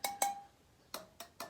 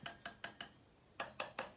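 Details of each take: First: Yamaha TTR125 wheel spokes tapped with a small wrench to check tension: sharp taps ring out clean at a steady mid pitch, a few at a time, showing the spoke is properly tight, unlike the dead-sounding loose ones. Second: Yamaha TTR125 wheel spokes tapped with a small wrench: most ring with a clear tone, a few thud flat and dead; one is so loose it moves by hand, so the loose spokes are to be tightened.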